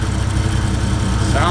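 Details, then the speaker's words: Toyota 1JZ VVT-i swap on its first start-up, idling: a steady, even thrum with a faint buzz on top from the power steering pump; the engine and exhaust are quiet and smooth, and it sounds really good. "good what's that buzzing power-steering perfect it makes sense something that should be buzzing dude it sounds really good"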